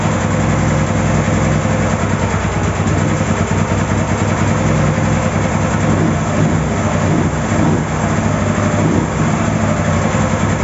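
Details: Ural 650 twin started after a breakdown repair; steady even low idle thump with no knocks, misses or surging; idles cleanly and sounds healthy.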